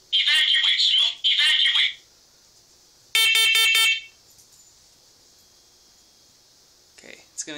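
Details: Brand-new First Alert smoke and carbon monoxide alarm tested with its test button after installation: three loud, shrill bursts, two close together, then a pause and one more; the alarm works properly.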